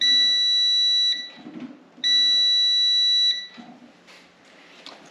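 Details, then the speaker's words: 1964 Ford F100 restomod (6.0 L96 LS swap), brake light switch continuity tested before wiring, brake pedal pressed: two steady high-pitched beeps of about a second each as the contacts close. The switch conducts properly. "we might as well confirm that the switch itself works and we're going to do that by testing continuity between these two contacts when the brake pedal is pressed"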